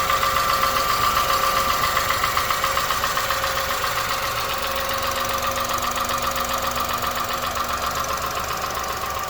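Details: 2001 Honda Insight at 67k, valves already adjusted: a steady light tapping at idle, about two and a half taps a second, that hasn't worsened and goes away while driving; source still undetermined.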